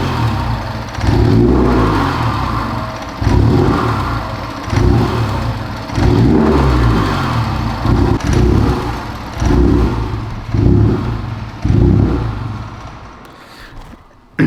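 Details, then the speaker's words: Rebuilt totaled 2021 Honda Civic Type R on its first start, with code U0104 in all systems: the engine surges and sags nearly to stalling every second or two and barely runs on its own; a massive vacuum leak is suspected. "So it kind of sounds like a massive vacuum leak somewhere in the system."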